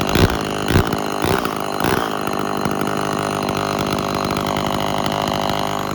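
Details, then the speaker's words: Early-1970s Remington SL11 chainsaw with cleaned and set points and a previously adjusted carburetor, started on choke with the throttle locked. After a few pulls it settles into a steady, even buzz without bogging; runs properly, no carb adjustment needed. "i ran it for a bit and it really doesn't seem like it needs a carburetor adjustment"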